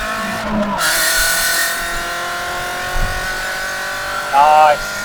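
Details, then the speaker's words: MG TF, warm, on road after replacing the O2 sensor and fuel filter: engine note climbs cleanly through the revs up to about 6,500–7,000 rpm with no stumble or hesitation; pulling healthily. "nice pulling all the way up 6 and half th000 7,000 reps sounds great feels good we're back back in the game"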